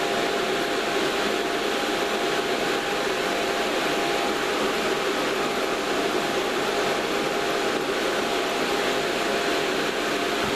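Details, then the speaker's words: Two offset fans mounted through cut holes in a sealed PA airbox: an even, steady airy rush with a faint hum, no ticking or wobble; still fairly noisy but quieter than before, with slightly less airflow; normal fan running. "Now that sounds still quite noisy, but it is quieter. It is quieter than it was."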